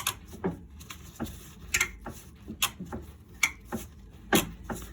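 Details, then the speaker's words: Skoda Fabia 3 front anti-roll bar rubber bushing creaks dryly about twice a second as the bar moves up and down; new aftermarket bushings still creaked, so they are being replaced with slippery original bushings. "I to jest ten dźwięk, który przy ruszaniu się stabilizatora góra dół wydobywa się z tej gumy."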